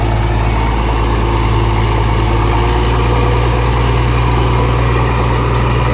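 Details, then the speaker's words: Diesel engine idling, not yet fully hot: steady smooth low drone, no misses or knocks, much softer than before and now no smoke; normal idle. "เสียงนิ่มกว่าเดิมเยอะเลยครับผมคิดว่าน่าจะจบนะไอ้ปัญหาควันๆนี่เนี่ยตอนนี้ไม่มีควันเลยครับ"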